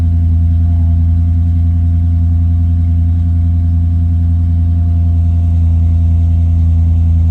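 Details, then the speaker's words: 2000 Land Rover Discovery II Trek Edition with a swapped late-2004 4.6L V8, custom PCM remap, SAI delete and MagnaFlow exhaust, cold start: deep, even V8 rumble holding steady with no ticking or knocking; a smooth, healthy cold idle. "I'm going to show you the cold start and you can hear how the engine sounds."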